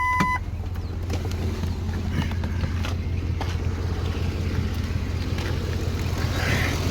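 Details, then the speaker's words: 2005 Ford F150 with new remanufactured Powertrain Products 5.4 L V8, replacing Triton engine that broke its timing chain, day 1, catalytic converter not yet fitted: smooth, even low idle, no Triton ticking — normal idle. "You probably don't hear it because it runs like a sewing machine. The engine is purring, that ticking that is notorious for that Triton engine is nowhere to be heard."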